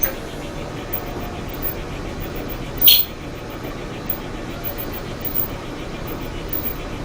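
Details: LG dryer, model DLEX8900B (six drum rollers), drum turning with a loud, steady, low rumble and a faint rhythmic thumping; the drum roller wheels are worn and need replacing.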